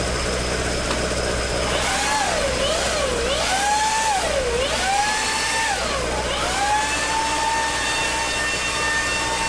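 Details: Toyota AE86 with 4A-G engine after exhaust leak repair, stock exhaust: a clean idle, then crisp revs that climb and fall smoothly with no puffing or ticking. Normal, leak-free exhaust note.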